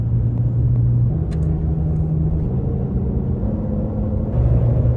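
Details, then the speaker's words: Brand-new Kenda Klever M/T2 mud-terrain tires on asphalt at steady speed, cabin about 72–77 dB at higher speeds; low, smooth, even rumble with no hum or drone, quieter than expected for a mud terrain: normal tire road noise. "For a mud terrain, it's definitely a lot quieter than I expected. These are brand new, so we'll see what happens."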